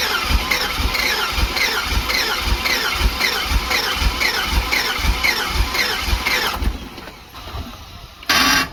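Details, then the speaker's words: Box truck small-block Chevy V8, low compression, refired after refilling a cracked, leaking radiator with water: uneven chuffing about two per second under a squealing hiss, then cuts out; rough running, head gasket issue suspected. "You can't kill a small block Chevy, man. You know? She might have a head gasket issue, buddy."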